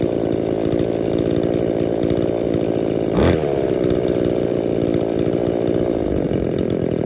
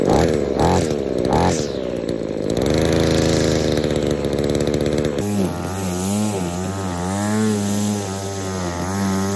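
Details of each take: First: Scavenged two-stroke saw, owner suspects the purge bulb lets air into the carb's metering side, so the low-speed screw is set richer to idle; it idles, then burbles and blubbers unevenly when opened up; rich running. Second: Trash-picked chainsaw after full service and carb overhaul, with a faulty metering diaphragm fixed and a homemade foam air filter: a few pulls, then it catches and runs a steady, clean high-pitched note, no misfire or surging; normal running.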